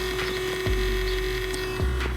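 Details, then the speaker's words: BMW E60/E61 535i xDrive Touring comfort seat: the thigh support motor hums steadily but the support doesn't move, because the plastic drive gear is stripped. Fixed by replacing it with an all-metal gear (part 52 10 7 068 045). "moving but the thigh support is not moving so why does this fail well basically there's a part of this drive mechanism that moves this seat that that brakes"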